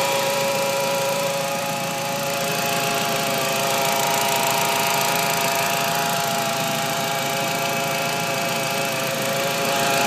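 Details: 1.8T petrol engine: steady high whine over the idle, sharpening and rising slightly on revs; power steering fluid checked and topped up, cause unknown; engine bay whine.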